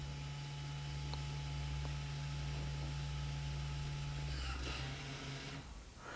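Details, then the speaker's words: 2018-2024 Toyota Camry after rear wheel hub replacement, key on two clicks, brake pressed, parking brake lever pulled and held 5-6 seconds: a steady low motor hum for about five seconds that cuts off cleanly, the electronic parking brake resetting normally. "And we're going to reach over here and pull up on the parking brake lever and hold it for about 5 to 6 seconds. Hold it while the electronic motors do their thing."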